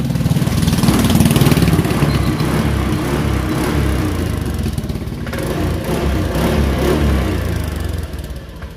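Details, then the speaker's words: Used Honda Beat ESP scooter during a pre-purchase check, throttle blipped repeatedly: engine revs up and settles back with an even, steady beat, no knocks or rattles; engine normal and restarts easily. "oke motor Masih normal ya teman-teman ya kita matikan terus kita coba hidupkan sekali lagi oke hidupnya enak"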